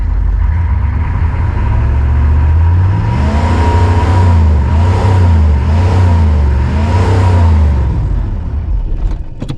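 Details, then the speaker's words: 1988 Chevy C2500, 6.2 diesel with Banks turbo, over 400,000 miles: the deep drone swells as it is revved and held to test the boost gauge (it built a little boost), then dies; engine stalls after revving, restarts, cause unclear. "uhoh she didn't like that she didn't like that she going to start back up oh hell yeah she started back up"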